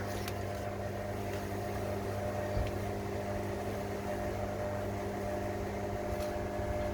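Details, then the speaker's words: Salvaged Fisher & Paykel Quicksmart front-load washing machine set to spin, door lock closed, drum not yet spinning: steady low hum with constant mid tone, no knocks or grinding; drain pump running. "oh door lock closed you can hear the pump going"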